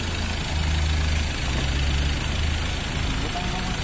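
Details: Ford Ranger 2.2L diesel that wouldn't start (no diesel from supply), fixed with new suction valve and crank sensor plus calibration: steady, even low diesel rumble with no knocks, misses or hunting; clean, healthy idle.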